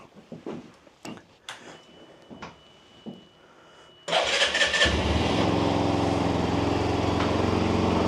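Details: Benelli BN 125 single started just after an oil change and a new filter; a few clicks and fumbling, then it catches quickly into a steady, even idle with no knocks or ticks, running healthy.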